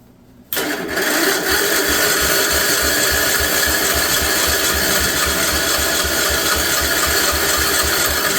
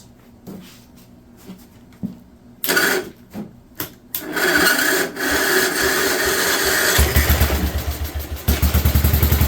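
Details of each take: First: 1958 Wisconsin AENLD engine, first start attempt in many years: starter cranks steadily about four turns a second with a rattle, never catches; lots of oil in the cylinder, probably flooded, re-choking; flooded engine cranking. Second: 1958 Wisconsin AENLD engine, revived, muffler fitted, fed from a fuel bottle: a few coughs and false starts, then a steady even popping beat with no misses, choke coming off; normal running.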